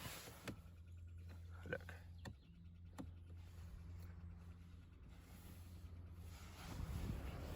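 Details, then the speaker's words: BMW E90 318i whose engine won't crank: after switching on the ignition, only scattered single clicks and a low electrical hum, and the engine never turns over; a voltage check shows the flat battery cannot support the car. "I heard clicking noises. Yeah, you can hear that, definitely. Now, which one it is? I don't know. It seems scary, but I think this battery might be dead as well."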